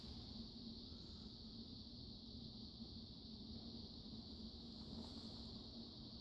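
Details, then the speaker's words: Total Energy Systems Strato-Fan 36" industrial ceiling fan on solid-state variable speed control at low speed: only a soft even rush of air, no motor hum or ticking; running quietly and healthily. "This is definitely bedroom quiet with the solid state variable. Yeah. No kidding. It's dead silent."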